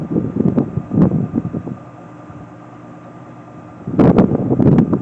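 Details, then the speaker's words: Whirlpool WFW9500TW front-load washer, 16 years old with no repairs, whites cycle spin, direct-drive motor: steady even motor hum with faint tone, partly masked by handling noise; motor louder than a belt-drive GE; normal spin. "And you guys can I can actually hear the motor more than I can on the GE. And also, both the motors sound different, even though they are both well, the GE is a belt drive motor, versus this one is a convention motor."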